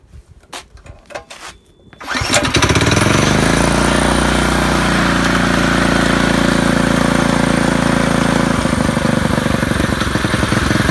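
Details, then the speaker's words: Predator 212 single-cylinder engine on a bicycle, driving a 7-speed transmission through a jackshaft and torque converter, custom exhaust wrapped in tape; first test run: a few pulls, then it runs evenly at a steady rapid beat, not too loud. Normal running. "I want you to hear it run because it's not too bad, not too loud."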